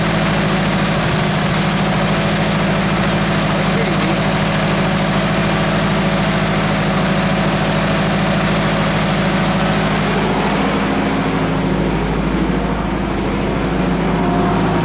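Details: Genie construction lift after crank no-start diagnosis, running on a bypassed power feed: steady even idle, constant low hum, no misses or knocks. Normal idle.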